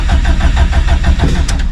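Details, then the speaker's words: Stock EJ257 longblock STI drag car cranking at 66° on a cold morning; mechanical fuel pump with no lift pump, so fuel pressure builds slowly; starter churns in quick even pulses, about six a second, hard starting. "if you watch fuel pressure which is in that top right corner it will slowly start to build so here you go make sure it's neutral it built pretty quick today it's going to take a moment and then she'll pop"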